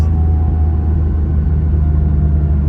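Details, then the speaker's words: 1982 Porsche 911 SC flat-six, revived after sitting 16 years (gearbox oil drained, seized exhaust freed, ride height raised about 10 mm), running at steady speed with a deep smooth rumble, no misfires, ticks or knocks; normal healthy running. "So listen to that. There's a smile on your face."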